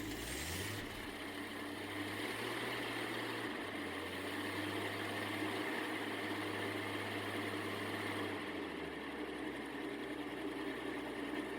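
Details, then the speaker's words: 1954 Ford engine, 120 hp, on early-1950s Asplundh wood chipper, cold start with a little choke at low rpm: steady, even, smooth idle, no knocks or misses; normal idle. "The cold start likes a little choke at the lower RPMs, and after giving it throttle, no choke."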